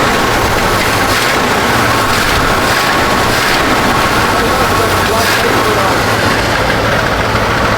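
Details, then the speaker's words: 1970 Chevy C-40 mechanics truck, sat 15+ years, just started after ignition wiring: big engine idles with steady even rumble, no knocks or misses; healthy idle, revs open up well, radiator leaking. "Oh, okay. That opens up good. That thing sounds good. It does."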